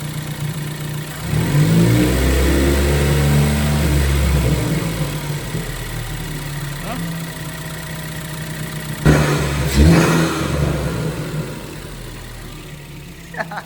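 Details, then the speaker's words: Ford Focus after repair work on a whining noise the owner suspected came from the PCV crankcase baffle plate: a smooth idle rises cleanly to about 2000 rpm and settles back, with no whine. Engine sounds healthy; normal revving. "As you guys heard, there was no whining, no Hellcat noises, so that's a blessing."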